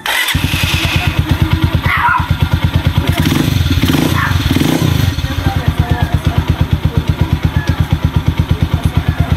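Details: Rango 150 single-cylinder after fixing a noisy engine with a new segunial assembly: steady even idle thump, no knocking or rattle; engine running smooth and quiet.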